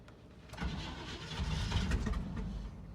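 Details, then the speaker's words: 1972 Chevy C20 truck, parked for months, with a makeshift electric fuel pump: it cranks with ragged firing bursts, likely flooded, then catches on a retry. Hard start. "oh i think we're flooded that's probably why try again there she goes"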